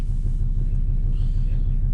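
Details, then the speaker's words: 2005 Volvo XC90 2.4 D5 diesel idling cold at −3°C just after starting on new glow plugs: even low rumble with steady regular pulses, no misses or knocks; glow plugs working, normal cold idle. "But there you go, it fires up. And that's that. That's our glow plugs working."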